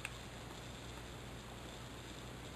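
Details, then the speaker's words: Faint steady unrhythmic hiss heard through 5–6 inches of basement concrete floor in a quiet room; water leaking from buried 2-inch type K copper pipe with thin spots, same sound heard years earlier: water leak hiss. "What do you hear? You hear it? Huh? It's the same thing I heard five years ago."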